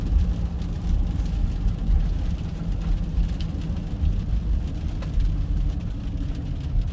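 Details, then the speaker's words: Ford Super Duty service truck (2000s) on a road test after the plugged catalytic converter was repaired: heavy, even V8 drone pulling hard without wide-open throttle, no stumble. Power restored, running healthy. "squeaky old girl oh she's a puller now look at that baby go not even wide open throttle awesome sauce"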